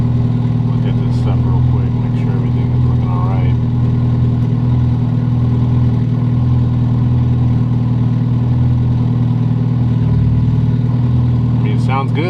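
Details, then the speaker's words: Honda Civic EF turbo on an EMU Black standalone ECU (moved from a Lexus), first start after wiring: fuel pump primes, engine fires and settles into a deep, steady idle with no misses or knocks; normal idle. "Go ahead and try and start this guy up. Hey, it's running."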